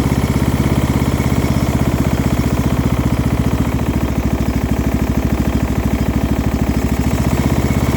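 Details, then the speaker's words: Single-cylinder Craftsman engine with a muffler fitted, at idle: a faint low-end rattle on each beat, not a thumping knock; the source is unclear. "is a bit of a low end rattle but it doesn't necessarily sound like a knock"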